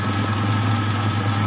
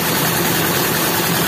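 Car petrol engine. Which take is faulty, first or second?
second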